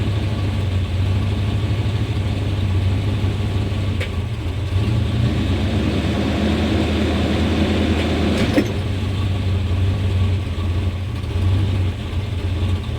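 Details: 1991 Chevrolet Suburban V2500 4x4, 5.7L 350 V8, after new distributor cap, rotor, ignition module, plug wires and fuel filter: low, uneven idle wavers, dips and bogs as it's shifted drive-reverse-neutral, lacking power, tends to stall in gear; misfire from faulty ignition coil.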